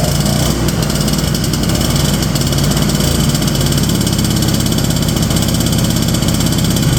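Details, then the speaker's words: 1970 Ski-Doo Olympique 335 two-stroke snowmobile from auction, choke off: loud burbling uneven rumble, running way too rich; owner suspects leaking carb diaphragms/check valves letting too much fuel through. "Then I come back down to the idle and it's running way too rich."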